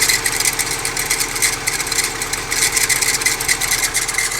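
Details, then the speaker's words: VW Amarok diesel with no power, codes P0087 (low fuel pressure) and U3501, and no scanner communication. It ticks over evenly with a hard metallic whir over the clatter: failing alternator, plus a small oil leak. "Ó, tem barulho de alternador. Alternador aí com um problema, né?"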